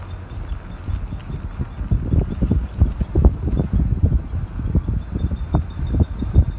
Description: Weird noise that comes from a 2002 E320 4Matic. Happens when the car is in drive without any throttle and when throttle is applied at certain RPMs. Cannot reproduce sound when the car is not moving.